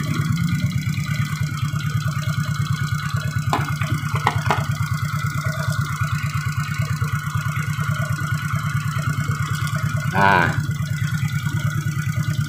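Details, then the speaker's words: Suzuki Shogun 125 idling with battery removed after replacing weak regulator/rectifier (kiprok): steady even low putter about three beats a second, no misses; now smooth, normal idle. "jadi saat kita lepas aki ini setelah kita lakukan pergantian pada kiproknya mesin itu jadi enak"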